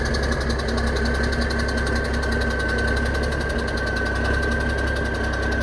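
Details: Kenworth K100 diesel truck idling after fuel system plumbing: light uneven clatter over the steady idle is the air compressor building air; normal.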